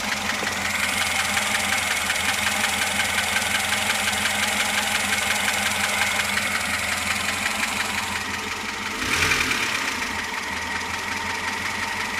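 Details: VAZ 2107 engine at steady idle with a light, fairly even tapping about three per second riding on top; a knock inside the engine, cause not pinned down.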